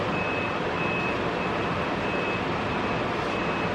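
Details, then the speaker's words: Steady, even rush of air with a faint intermittent high beep: blower and vents working again on a Germany-imported BMW E34 525 being restored after a blower motor fire. "Now let's really get to the moment of truth here. Do we have working climate controls? You guys hear that?"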